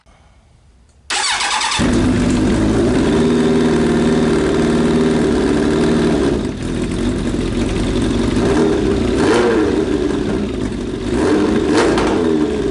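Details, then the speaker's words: Suzuki Bandit 1200 with a cheap eBay exhaust fitted, started and idling with a few throttle blips. Steady, fairly even idle, slightly more muffled and quieter; sounds healthy. "i think it muffled it just a little bit it actually quieted"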